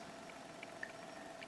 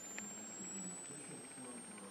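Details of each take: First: Simple pulse motor built for 5V USB power bank, here on the 5V power bank: quiet even hum with light quick coil-pulse clicks, running smoothly and fine; on a 1.5V AAA it behaves oddly. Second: Simple pulse motor run on 1.5 V AAA battery (built for 5 V): faint thin high coil whine climbing steadily in pitch as rotor speeds up until the LED goes out; cause unknown, perhaps needing diode or resistance change; coil whine rising in pitch.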